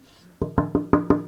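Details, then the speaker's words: 1964 Gibson ES-335 replica guitar body during glue-up test of top shimmed onto the center block; five crisp, evenly spaced taps with clean decay and no rattle or buzz, the glue joint is sound. "no buzzing. Hear that? Sounds pretty good to me."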